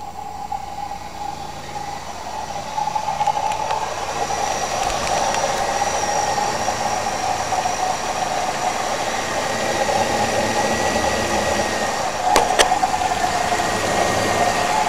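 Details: 1998 Camaro on cold start: steady rattling whir with faint high whine like a bad pulley bearing, gone once warm; owner suspects water pump, though pump pulley has little play, no overheating, runs and drives fine.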